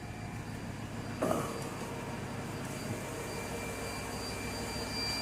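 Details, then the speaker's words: 2002 Mercedes CL500 V8 idling after start-up following new spark plugs, plug wires and coil packs. A quiet, smooth idle with no stumble or miss heard: a normal, healthy idle with no misfire or rough running. "she sounds smooth no misfire no rough idle"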